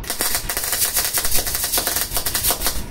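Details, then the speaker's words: Vevor MIG-250 welder with 0.8 mm wire at turned-down wire feed: irregular rapid crackle, popping and hissing of globular transfer; spray transfer not achievable with this wire. "yeah as you could hear the hissing and the uh this welding machine will give you bubble transfer or whatever it is called bit 0 .8 mm wire"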